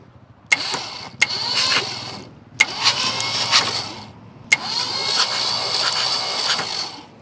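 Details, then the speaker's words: 1967 Ford F250 Camper Special truck, sitting 39 years, cranking in several starter bursts with an even rhythm; compression sounds good on all cylinders, no dead cylinder; normal cranking compression. "Let's see if it's even got compression. Yep, that one's got compression."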